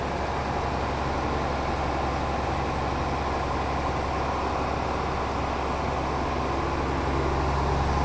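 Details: Mercedes O302 coach in perfect mechanical condition at idle: deep, steady diesel rumble with an even beat, no knocks or rattles. Healthy, smooth idle.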